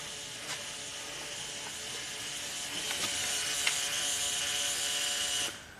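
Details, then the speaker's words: 1999 Genie lift, platform controls at key-on: steady high electric whirr holds a few seconds then cuts out, normal fuel pump priming; machine has an electronic throttle fault and won't stay running, new throttle body propped open with wire. "So let's just see what it does. Platform controls. You hear the fuel pump prime."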